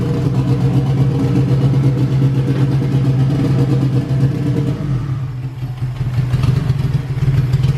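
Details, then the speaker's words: Honda Civic Si EK coupe, B18C1 GSR swap with Precision turbo, stock cams, first start before dyno: heavy uneven lope at idle, about four beats a second with dip and recovery; running really rich, "sounds cam"; rough rich running suspected, cause unconfirmed, timing belt loose. "it sounds cam but it's got stock cams yeah [Music] so that's a problem we'll have to figure out why it's uh running funky"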